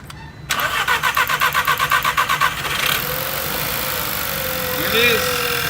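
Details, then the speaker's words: VW GTI project car on its first start since purchase, after fuel priming. About two seconds of even cranking, then it catches and settles into a smooth, steady, quiet idle. A normal, healthy start. "nice and quiet [Music] all right it's up and running awesome"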